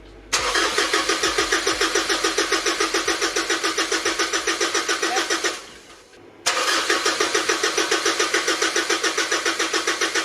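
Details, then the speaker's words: 2008 Mitsubishi Triton ML 3.2L 4M41 diesel after intake manifold cleaning with injector lines refitted: starter cranks at about three and a half beats a second without catching, pauses and resumes while injectors are cracked to bleed air from the lines. "yep so what we just did there is we bled all the fuel lines for the injectors because you've taken them all off so there's all air in the"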